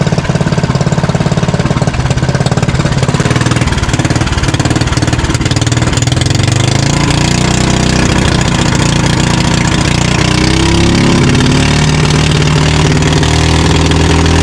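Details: Fishing-boat (bangka) engine running normally on the water after its earlier misfiring was fixed, with the shaft (ehe) tied to its bushing; steady single-cylinder thumping settling to an even note.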